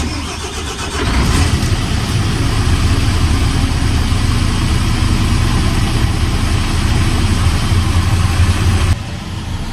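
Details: Mercedes truck diesel with AdBlue/exhaust aftertreatment fault, start after repair attempt, engine management light then went off: brief crank, catches and settles into steady even idle, no knocks; normal start and idle.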